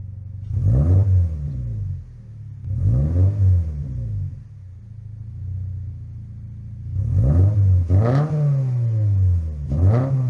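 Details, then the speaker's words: 2025 Toyota GR86 with HKS single-exit exhaust and newly fitted JDL front pipe and overpipe, revved repeatedly: loud rasp with a blowing edge from an exhaust leak caused by the wrong donut gasket at the front pipe. "So, we have a big ass exhaust leak because I got the wrong donut flange or the donut gasket, but um Here it is, what it sounds like right now."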